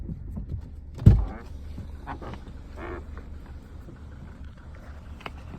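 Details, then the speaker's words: Lada Granta FL, parked, cabin mic: faint low hum, then one dull thud as the steering wheel is turned at a standstill; new suspension knock of unknown cause. "это что такой звук? Рулем крутишь. Не знаю, что такое. Ты на месте стоишь."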